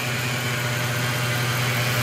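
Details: Mercedes CL500 (bought for 2000€), idle after belt fitted: steady low hum with a faint even whine; the pulley no longer wobbles, but the AMG specialist believes the remaining noise is the water pump bearing.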